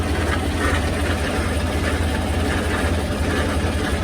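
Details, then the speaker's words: Copart Chevy Silverado truck started and driven for the first time after sitting: heavy, uneven low thrumming with a stumbling pulse about three a second; misfiring hard, owner suspects bad gas, also a noise suspected from transmission. "yep we were misfiring we're misfiring pretty hard it could be bad gas we don't know how long this thing has set in Copart"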